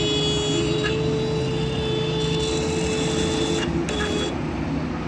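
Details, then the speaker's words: Motorcycle horn before adjustment: thin, faint buzz cutting in and out with bursts of higher tone, far too quiet; weak horn, adjusted via 10 mm nut and screwdriver. "ये देखें दोस्तों, इसकी आवाज़ बहुत कम है।"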